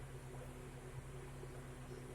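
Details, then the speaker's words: Car AC blowing only air, gauge needle static instead of 30-40 psi: steady low fan hum under engine drone, no compressor clutch kick or load; compressor not engaging. "nếu máy nén đang chạy kim là từ 30-40 psi ở đây cho biết máy nén này không hoạt động"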